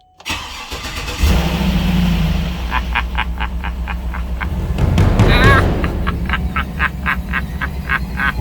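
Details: 2007 GMC Yukon XL Denali 6.2 L V8, towed in as a no-crank no-start from a down low-speed communication network, started after a splice pack is plugged back in: a brief crank, a clean catch at about one second, then a steady idle with the radio playing.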